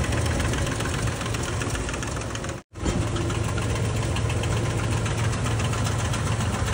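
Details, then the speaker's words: Toyota Land Cruiser V6 at idle; rapid, uneven knocking rides over a steady idle and follows engine speed, from worn, rubbing cam gears in the top end with carbon buildup found inside: camshaft gear knock. "तो यह हमारे पास Toyota land cruiser गाड़ी है इसका आवाज ए रहा था गाड़ी का जैसे आपने सुना भी है"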